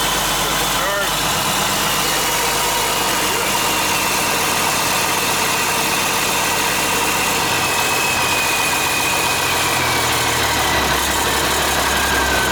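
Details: International 7100 with DT466 diesel, first start after in-frame overhaul (fresh head, liners, pistons, bearings, radiator), after bleeding injector lines: steady, even idle with a smooth low rumble and no knocks, misses or ticks. Engine sounds healthy.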